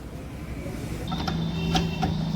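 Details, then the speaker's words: Royal Enfield Classic Reborn 350 (new model, BS6) over a low engine rumble with sharp metallic clunks ("khat khat") over bumps, unresolved at other shops; not loose silencer bolts or handle nut; cause found to be a loose exhaust mounting stud nut. "आप सुन सकते हैं friend कुछ इस तरीके का sound आ रहा है और गाड़ी वालों को बहुत ही डिस्टर्ब कर रहा है साउंड"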